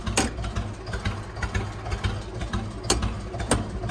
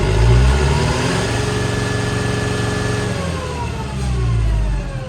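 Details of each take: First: Computerized ATV/tractor: uneven, lumpy putt-putt idle with irregular beats, as if firing on only 2 cylinders; blipping the throttle doesn't smooth it. Owner suspects computer issues or a glitch. Misfire, no throttle response. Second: Late-1990s or 2000s lawn tractor that earlier would not rev and needs a solenoid; after the key is cycled off and on, it climbs cleanly through the revs and settles back. Owner suspects a computer issue. Normal revving.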